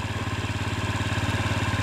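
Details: Used Honda Ruckus scooter after getting it running, owner reports it runs good: smooth, even low putter at idle, steady pulses around fifteen per second, no misses or knocks; engine healthy.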